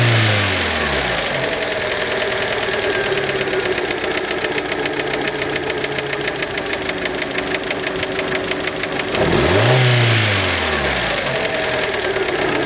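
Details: Fiat Panda engine, warmed up, idling then blipped: steady quick ticking about three or four per second that gets busier with throttle; engine knock.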